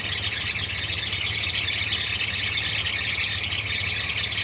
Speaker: The compressor on that, the bolts are damn near disintegrated. I don't even know how the compressor is still being held in there, but it's internally locking up and I chose to walk away from that job.